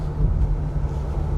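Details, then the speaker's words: BMW X5 on a test drive after a full suspension overhaul (worn joints and hardened shocks replaced): steady low road rumble over uneven patches with none of the former knocking or clunks; wheels aligned. "ऐसा कोई आवाज तो मुझे नहीं लग रहा है यार बहुत कंफर्टेबल हो चुकी है गाड़ी"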